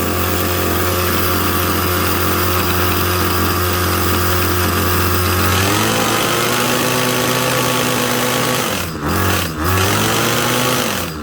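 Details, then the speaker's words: 2016 Ryobi HT26 26cc two-stroke gas hedge trimmer, just started after priming and choke: steady buzzing high idle, then the pitch wanders and dips unevenly when run on high; the carburetor settings are off and need adjusting. "So I can already tell just by running it on high a little bit there that it needs the carburetor set. The settings are definitely off on that."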